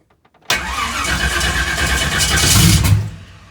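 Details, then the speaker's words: Race car engine in very cold weather, fuel pump primed, two-to-three-second shot of starting fluid: cranks and fires for about two and a half seconds then dies; brief firing on starting fluid, battery nearly dead. "we got fire fire in the hole battery's about it I was charging it and the generator went dead"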